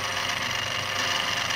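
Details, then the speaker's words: EBM-Papst Q-series shaded-pole fan motor M4Q045-CA01-09, 230 VAC, 1300 rpm, sleeve bearings, from a 2 kW heater fan: steady rough hiss and rattle over the hum, stalling; worn sleeve bearings with shaft play. "Yes sounds bad and there we and there it stopped so yeah it's a bearing problem I guess"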